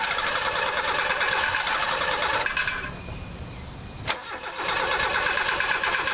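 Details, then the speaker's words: Mazda with P1345 no cam position sensor signal, restart attempt on hot engine: starter cranks steadily at about three turns a second but never catches, fuel smell noted; hot cam sensor dropping its signal. "[Laughter] nothing I smell gas but nothing else so yeah that thing is hot hot"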